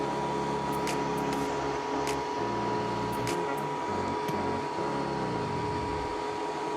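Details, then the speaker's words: K40 laser cutter after the gantry was removed and the Y-axis belts adjusted to cure an intermittent knarking noise: the stepper whir shifts smoothly through pitches as the head traces a vector cut, with no cracking or knocking. Gantry motion is now normal. "it sounds much better now as well i do not have this cracking"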